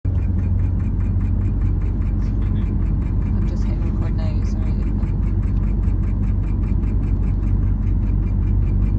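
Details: Porsche 718 Cayman GTS 2.5L idle: quick even ticking about four per second from the front pulley area, stopped after 30 seconds and not recurred; cause unknown.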